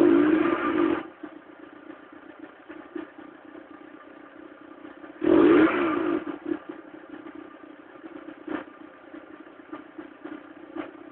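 Engine running with scattered, irregular ticks and two short louder bursts; uneven cold-running noise, cause not pinned down.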